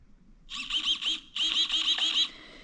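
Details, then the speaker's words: New 35 kg throttle servo (replacing 9 kg stock) on a nitro Traxxas Slayer Pro, powered but not yet linked: short high-pitched whirring bursts as it sweeps back and forth with the throttle; responding normally. "kind of hard to see, but you can hear, as I move our throttle back and forth, our new servo will move back and forth. So our new servo is working, we just have to hook it up."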